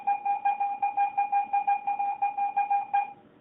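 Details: Garrett AT-Pro metal detector air test with a 1941 silver Mercury dime at about 5–6 inches, reading ID 82. Steady high beeps about three a second give a clean, even, normal high-tone silver response.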